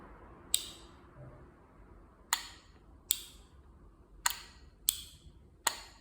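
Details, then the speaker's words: Camshaft VVT solenoid removed from the engine and bench-tested by switching a 9V battery on and off. Six sharp, crisp clicks spaced irregularly, quiet between them: the valve moves freely, so the solenoid's mechanical side is good. "can hear the valve operation sound this confirms that the mechanical side of the Solon is good as well"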